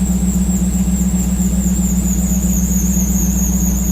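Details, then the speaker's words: 2001 C5 Corvette V8 just after oil pressure sensor replacement: a steady thin high squeal over an even idle, a front belt squeal suspected from the new alternator; oil pressure reads normal. "We've developed a belt squeal in the front from our, sounds like it's coming from our alternator, which is new."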